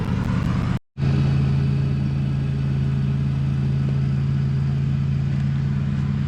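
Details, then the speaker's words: BMW 335i N54, first cold start after 3–4 days sitting, just fitted with VRSF catless downpipes and front-mount intercooler: quick crank, deep even throaty jet-like idle, no codes, no misses or knocks; healthy. "First start up seems good, no codes coming up. Tapping the gas, it's not really warm yet, so I probably should wait. But this thing sounds like a jet."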